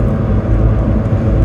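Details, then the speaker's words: Ford Fiesta Mk5 driving, badly worn rear press-in wheel bearing, hummed quietly for months then screaming after a week parked: loud steady low droning roar, no rhythm; quiet when turning left, loud turning right or straight. "And I started driving it again recently, and the wheel bearing's just screaming at me. It's alright, when I turn left, it's quiet. It's only when you turn right, or go straight ahead."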